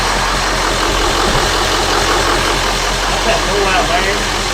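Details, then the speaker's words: Ford F250 7.3 Powerstroke diesel idling just after injector cup, injector, glow plug and water pump replacement: steady, even, quiet idle with soft clatter, no knocks or misses, though air still in the system; expected hard starting for a while. "it's quiet hear how quiet it is and it's still got air in it it's quiet"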